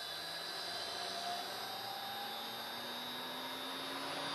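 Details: Three-phase motor of a combination woodworking machine run from single-phase 220V via a frequency drive, now delta-connected, unloaded, about 1.3A input and 4A line current: a smooth, even hum with a faint high drive whine and fan rush, running healthy.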